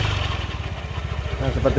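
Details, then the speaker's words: Suzuki Nex scooter: smooth at idle, but a low rough growling rumble in the CVT area as throttle opens; mechanic suspects CVT parts or final-drive gearing, before disassembly. "suaranya jadi suaranya itu seperti itu ngorok pokoknya ketika posisi gas ditarik tapi posisi langsam itu mesin halus"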